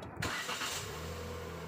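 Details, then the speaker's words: Proton Saga MC2: short crank that catches quickly and settles into a steady even low idle without extra noises; normal start, unlike the abnormal extra sound it makes on early-morning starts. "this is a sound of a normal starting sound when you start the engine"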